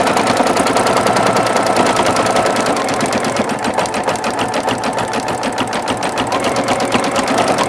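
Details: Singer Futura XL 550 sewing machine after the bobbin-area rattle fix: even stitching rhythm around three beats per second, no loose clatter from the bobbin area; running smoothly.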